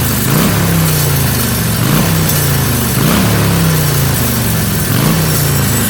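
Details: Stock 2013 Harley-Davidson Sportster XL883N Iron, before slip-on exhaust install: loping uneven potato idle with rises about once a second, no knocks or rattles standing out; healthy stock V-twin.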